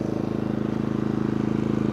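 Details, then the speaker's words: New Genmax 4500iBEFI fuel-injected inverter generator (4,500 starting/3,600 running watts, maybe under an hour of use), just started quickly, no load yet; smooth, fast, even pulsing hum at constant pitch, no misses or knocks; probably about as quiet as the dual-fuel unit with the same engine. "But, there we go. Started super quick. Cool. Now I would say this is probably as quiet as the dual fuel unit."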